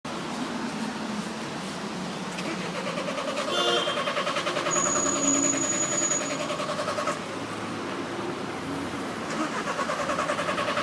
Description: VW Transporter dies in the middle of the road and won't restart